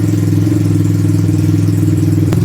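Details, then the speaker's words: 1986 Honda ATC200X single-cylinder three-wheeler, air filter not hooked up: steady, even beat with a deep, loud exhaust drone, no knocks or misses, loud for a 200X; normal running with loud exhaust. "Sounds good with that exhaust, man. Sounds all right. Little loud for a 200X, but you know, all bark and no bite probably."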